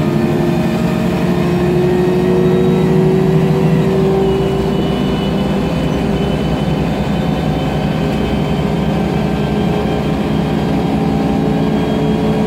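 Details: MAN Lion's Classic city bus, MAN E2876 CNG engine, Voith DIWA 864.3 4-speed automatic: pulling away under load with a steady whine climbing slightly with speed over the engine drone; noisy Voith gearbox with slight differential whine.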